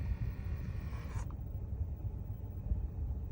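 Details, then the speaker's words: Dash temperature blend door actuator, new replacement installed: switching AC to cold gives low rumble and brief airy rush with no clicking; old one clicked as its internal gear slipped at full cold. "no noise come back to cold there no noise"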